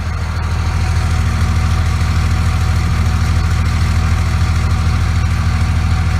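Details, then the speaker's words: 2001 Dodge Ram 2500 Cummins 24v after VP44 injection pump replacement (injectors all fine): deep, steady diesel idle, even beat, no miss or rattle, much smoother than before, heard near exhaust. "sounds fun a way better and turns out none of the injectors were bad just that damn VP 44"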